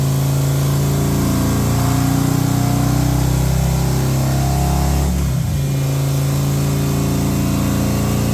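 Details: Harley M8 107ci V-twin just reassembled after S&S oil pump install for sumping issue, first crank with new lifter cuffs: steady deep lope, even firing rhythm, brief dip around five seconds; runs clean with no knocks.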